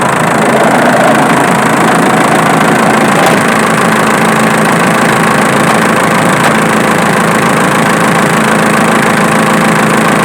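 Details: Diesel at idle, noise traced with a camera: a few sharp ticks over a steady idle; the clicking comes from the alternator, not the injection pump.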